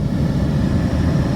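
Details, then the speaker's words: 2011 Buick Lucerne, no A/C or heat airflow: blower motor runs with a steady low whoosh, no rattle or squeal, when its black/red wire at the blower resistor is grounded by jumper; blower control relay judged not bad. "And our fan is working. So I am pretty sure that this blower control relay is not bad."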